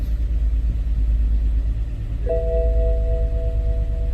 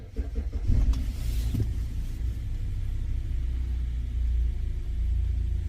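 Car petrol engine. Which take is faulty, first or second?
first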